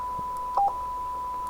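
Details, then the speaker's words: President Taylor FCC 40-channel AM CB radio, key beep setting switched on: single short electronic beep at each button press over a quiet room; normal key-beep confirmation. "this is the uh key beep you can turn it on or off"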